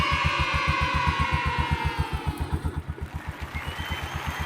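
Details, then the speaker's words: Motorcycle idling after tune-up with valve clearance adjustment: steady even thump, about four pulses a second, valve ticking gone; normal idle. "mga kawilder. Ang galing. Ayan, wala nang lagatik."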